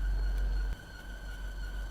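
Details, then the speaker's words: 2021 Land Rover Defender after deep water wading: steady high squeal over low engine rumble from water on a pulley drive belt; squeal went away once the belt dried. "What is that noise? Turns out that squealing noise was because there was water on a pulley belt, but it's dried off now and gone away, so don't need to worry about that."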